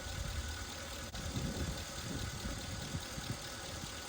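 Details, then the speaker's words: 1961 Mercury Meteor, 37,000 miles, parked 43 years, first start on used spark plugs: rough, uneven idle with irregular popping, spitting back through the carburetor; suspected valve not closing. "It does have a valve not closing. I can hear it spitting back through the"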